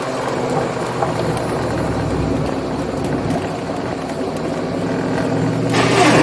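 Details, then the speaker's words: Ford Mustang GT with a 4V engine swap, about 50 miles on the build, on its first longer drive to seat the rings: a steady V8 pull with road and tyre roar, no knocks or ticks. Runs healthy. "It sounds happy, it sounds pretty good."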